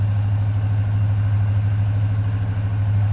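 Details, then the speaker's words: 1977 Dodge Charger SE, 360 V8, 84,146 miles, heard from the rear after a cold start: deep, even low rumble with steady firing and no knocks or misses; normal idle. "I'll get it to come down off the high idle as it warms up. Slip around to the back so you can hear it right now."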